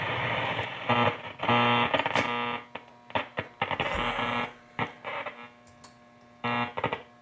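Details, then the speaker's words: Grundig Satellit Transistor 5000 shortwave radio of unknown recent use, tuning shortwave bands 5 to 10 early in the day. The sweep brings choppy hiss and buzzy hum with no clean station; poor reception, and the owner suspects contacts need cleaning. "You can hear it's kind of connection. Need to try to clean that. But at least we're hearing static, so that's a good sign."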